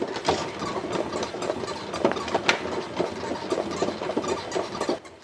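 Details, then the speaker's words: Shaun Lee X-Bike indoor exercise bike, about a year old, ridden roughly weekly, before lubricating: sharp creak repeating with every pedal stroke, a bit over twice a second, in a quiet room; squeak source not yet found. "들리시나요? 자전거 타는데 계속 이렇게 끽끽대는 소리가 나서 한번 없애보도록 하겠습니다."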